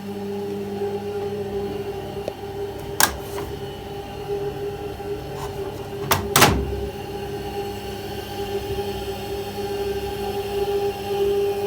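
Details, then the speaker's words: Top of a roughly 20-year-old combi boiler: steady loud whirring drone with a rough, wavering hum; worn fan motor bearings, fixed by lubricating or replacing the fan assembly. "It's been making a right racket. Coming from the top end of the boiler, this was the noise."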